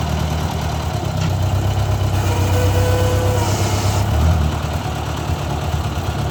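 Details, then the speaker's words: Owner's 1956 Ford 640 tractor, restarted after years unused and after a pinched oil-pressure line was fixed: steady low chug at idle with even firing and a small throttle rise, no misses or compression trouble; runs well but still rich and a little smoky, carburetor needs adjusting. "well there we go guys thing fired up and ran really good actually it's still running rich"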